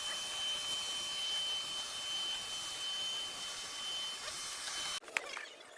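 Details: Ricoh IM C2000 copier after repairing a grinding noise, reinstalled part whose gear now rotates freely: smooth, even whirr for about five seconds with no grinding, then stops with a couple of light clicks; running normally.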